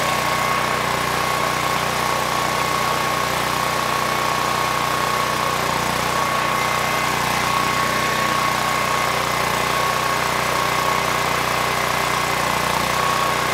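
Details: PowerStroke 6000 W generator, about 12 years old, stored outside with rusted debris-filled tank and what looks like mud in carburetor; started second pull, constant even drone, governor holding speed, 61.1 Hz and about 121 V; normal running.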